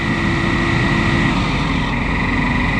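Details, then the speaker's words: Oliver 1855 tractor hydraulic system after repair, pump confirmed turning with speed adjustable up and down (pressure gauge broken): loud, steady roar with a constant high whine and no surging or rattle; the hydraulic fan runs normally. "but it is running and we can crank it way up or down"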